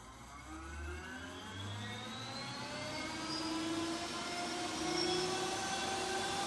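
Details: 1978 Kawasaki KZ200/175 DIY electric conversion with a 4000 W hub motor and minimal regen set, throttle applied: smooth electric whine rising in pitch as the wheel spins up, no knocks or grinding. Normal running.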